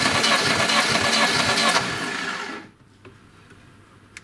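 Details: Lada Niva 21213 (old, neglected; oily, plugs fouling) compression test on starter: even cranking about four turns a second for a couple of seconds, then stops; low compression suspected.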